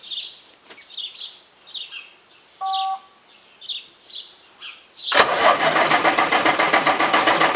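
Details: 1990 Peterbilt semi diesel, shut off for greasing, now won't restart; steady starter cranking about four beats a second with no firing, check engine light flashing; same issue two years ago was a bad computer, and ether made it fire; cause suspected, not confirmed.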